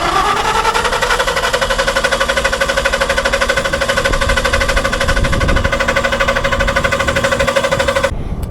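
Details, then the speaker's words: Building standby generator after an air filter refit: engine runs with uneven popping about three beats a second and a wavering tone; backfiring and rough running, cause unclear. "yeah I don't know what's going on with it but you hear the backfires and stuff so something's got to be going on"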